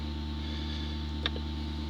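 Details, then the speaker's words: 2005 Dodge Grand Caravan with ABS light and pump motor circuit failure code, pump commanded on via scanner functional test: steady low hum with faint even whine; pump now runs, which it could not before. "So, well, we heard the pump work. So, pump's running. Couldn't do that before."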